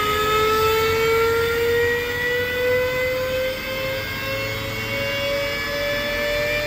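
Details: Alup SOLO 15 inverter-drive 15 kW screw compressor, permanent-magnet motor at 150 Hz, filling receivers from 0 bar: smooth steady hum with clean tone creeping slowly upward as pressure builds, no rattles or grinding; healthy.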